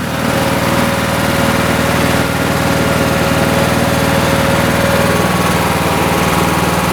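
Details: Lawn tractor single-cylinder engine after the choke linkage fix for hard starting; steady, even chug at constant speed with no misses or knocks, idling smoothly.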